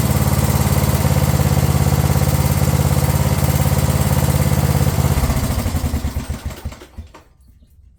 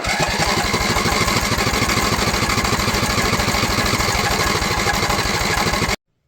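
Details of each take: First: Craftsman LT1000 riding mower single-cylinder after repairs including starter and carb: a steady, even thump at about three and a half beats per second, then it winds down and stops; runs healthy. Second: Craftsman LT1000 mower with Walbro carb, after blowing black smoke and dying: steady starter cranking about three turns a second for six seconds, never catching, fuel shut off to test the float; owner suspects no fuel.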